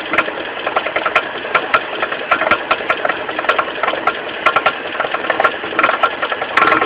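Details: Mitsubishi 4G15 carburetor engine at idle with sharp, uneven knocks, roughly once a second, low at the front from the loose crankshaft pulley. The pulley was not replaced; the knock was fixed by tightening it.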